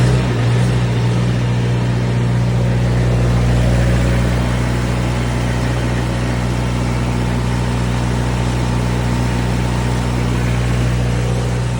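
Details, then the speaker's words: 2011 Miller D550 HO CC/CV diesel welder generator after a full service (fuel and oil filters, oil change, fuel-water separator cleaned, air filter blown out). Steady, even low rumble with no misses or hunting. It previously struggled to reach high idle; now normal running. "Well, she's a runner again. Sounds good."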